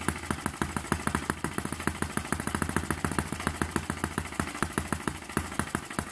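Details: Eachine ET8 horizontal four-stroke model engine after final mod adding mass to smooth it; crisp, even ticking about seven beats a second, no stumbling, no longer shaking or dancing around; normal running.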